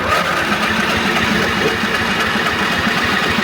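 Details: Craftsman GT5000 riding mower, 22 HP Briggs & Stratton ELS 725 OHV V-twin. The starter cranks the engine steadily but it never fires, even with choke. It won't start, and a clogged carburetor is the suspected cause before cleaning.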